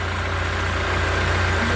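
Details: Taxi engine after a faulty, broken valve lifter (tappet) and broken spring were replaced with a new lifter set, which cured a "tac-tac" noise. Smooth, steady idle hum with no tapping from the top end; it runs evenly and sounds healthy.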